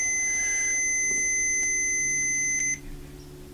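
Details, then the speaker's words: 1975 BMW R75/6 airhead boxer, ~140,000 miles, after new points, static timing check with buzzer: steady high buzz cuts off as points open before the S mark; ignition still slightly too advanced. "and we are still a little bit more advanced right we are a little bit more"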